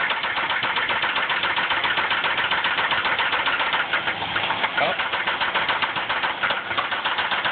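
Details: Ford Ranger 4.0 petrol V6 at idle with severe rod knock: loud, fast metallic knocking at about four beats a second. Owner says a bearing or two has spun.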